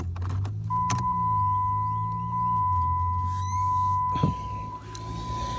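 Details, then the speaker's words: 2010 Dodge Challenger after the fuel pump relay was bypassed with a substitute four-prong relay: at key-on a low fuel pump buzz runs about two seconds under a steady chime, then stops. This is normal priming, and good fuel pressure follows. "I heard the fuel pump I heard the fuel pump"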